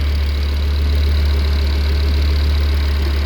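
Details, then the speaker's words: Smooth, steady deep idle with an even low hum, no knocks or misses, heard from outside the car during a checkup after a fuel system upgrade with surge tank; no leaks found and everything looking good. "nice and smooth looking good"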